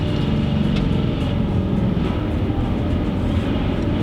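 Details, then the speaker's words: Nissan 350Z at slow speed: steady low drivetrain rumble with a rough gurgly undertone when letting off the gas or clutch; owner suspects a throwout bearing issue and likely clutch replacement. "So I pulled off to the side because I wanted to give a little example of the sound that I've been hearing. It seems to happen when I'm going at a slow speed, and either when I let off the clutch or let off the gas."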